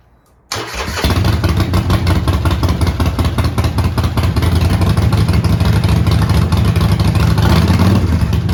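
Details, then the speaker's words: Neglected 2008 Harley-Davidson Sportster, long sitting, fired up to test whether the transmission moves the bike: catches instantly, loping uneven-firing V-twin idle with a few light revs; motor works and it moves in first gear, only slight black smoke. "Well, that is all outstanding news. Motor works. Transmission. Well, at least it moves in first gear."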